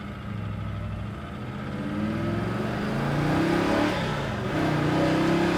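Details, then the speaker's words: 1967 Chevrolet Chevelle SS big block V8, accelerating up through fourth gear to about 75 mph without high revs, below operating temp (about 140-150°F); deep, smooth pull, clean shifts, no misses or knocks, very strong. "That was about 75, and I didn't even run the RPMs up. The motor is very strong."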